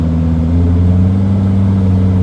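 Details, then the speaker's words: T1N Mercedes Sprinter turbo diesel, suspected of damaged, sticking turbo vanes, driving steadily slightly uphill under light load: an even low drone with no surging or whistle. Normal turbo sound under load. "is going a little uphill so that's that noise is fine that's supposed to be there so it's good right now this is uh nice and steady but it feels like it's under load a little bit and we are going slightly uphill"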